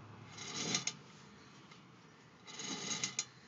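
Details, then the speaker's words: Car on jack, front driver's side wheel off: two short hissy scrapes as the hub turns, each followed by marble-like clicks just after stopping, seemingly from the rear of the hub; brake pads not worn to metal, cause not found. "sounds like that sound is coming from back here and you can kind of hear like it sounds like i'm marble dropping right after i stop"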